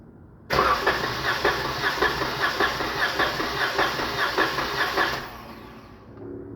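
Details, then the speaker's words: 2019 Dodge Charger 3.6 with P0302 cylinder 2 misfire and power loss, compression test cranking on a good cylinder; even starter pace, every stroke alike, reaching 150 psi, healthy compression. "150 miraron 10050 es lo que llegó igual que el pistón de aquel lado"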